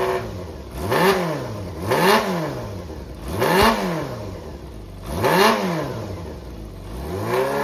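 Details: Running Yamaha XJR400 (4HM) engine assembly, removed from a working bike, compression tested, no abnormal noise or white smoke: five quick throttle blips rising and falling cleanly, even exhaust note, no knocks or rattles. Normal running and revving.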